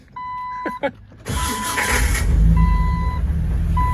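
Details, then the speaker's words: 2002 Jeep Wrangler with a new 4.7L stroker engine, brand-new aftermarket DB Electrical starter: warning chime, then a harsh metallic grind as the starter engages before the engine catches. The starter pinion is grinding on the flywheel; the owner may refit the original starter or get a better one. "got her running although we i put an aftermarket starter in it and uh the starter sounds a little wonky here let give this guys leave us a listen i might put the original back in or get a better one"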